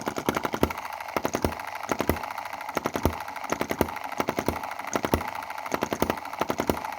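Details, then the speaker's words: Small Chinese EM2/M19 hit-and-miss single-cylinder gasoline engine, running rich before its valve timing adjustment. Sharp pops with weak or missing beats, several per cycle, indicate misfire. "so you hear it's not firing on one two three: one two three: one two three: there's three instances where it's not [fully] firing"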